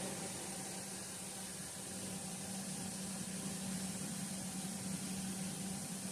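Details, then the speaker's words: Stock RV roof vent fan, old low-tech motor: steady loud rushing whoosh with constant low hum, about 76–78 dB measured right next to the fan; later replaced with a quiet PC fan. "It's reading about 78, 76 decibels, right up there next to the fan. Needless to say, not my favorite."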